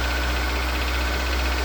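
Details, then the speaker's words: Acura RSX at steady idle right after replacing the worn, squeaking serpentine belt: smooth hum with no squeal from the belt drive. A tapping noise from the top remains, and the owner suspects valve adjustment is needed. "As you can see, no more belt noise."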